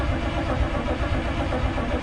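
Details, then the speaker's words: 1935 Ford hot rod with a 327 and Muncie 4-speed, unrun for two or three years, no fuel in it: starter churns the engine over with a steady low chugging rhythm that never catches; healthy dry crank to build oil pressure, which begins climbing. "uh i'm just gonna crank it see if i get oil pressure i can't remember i do have a kill switch but i can't remember which way is on but it's not going to run anywhere because i haven't put any fuel in it"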